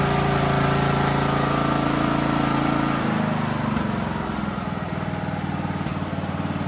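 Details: Craftsman DLT 3000 riding mower single-cylinder engine after a new fuel filter, air filter and oil filter: it catches and settles into a steady, even putter, dropping to a smooth lower idle. It sounds healthy.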